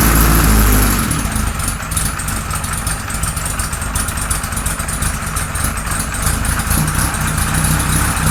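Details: 1978 Kawasaki Z1-R with freshly installed carbs, no choke: rough, lumpy idle with uneven low pulses and a spitty, unsteady note; almost no intake vacuum, over-rich running from jets sized too big.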